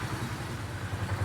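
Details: 2018 Polaris Sportsman ACE 570 single after a full top-end rebuild (valves, stem seals), warming to about 199°F until the fan kicks on: low steady thumping idle with even pulses, no clank or tapping; sounds healthy.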